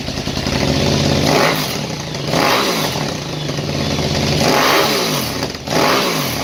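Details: KTM 950 Super Enduro LC8 twin on its first start after a carb rebuild, re-jetted with flexjets, a new throttle position sensor, changed ACV jets to cure lean popping and a DB killer in the Yoshimura pipe: crisp revving with no popping or misfire, normal running.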